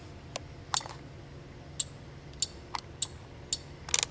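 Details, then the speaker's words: 1969-76 Corvette wiper relay on bench test: sharp isolated clicks at irregular intervals as electromagnet snaps in and switches ground when powered; relay switching normally. "and that's how it functions now you've got a ground over on this side this is with no power when you power it up the electromagnet drops it and switches the ground over to this side in relationship to what the switch is doing"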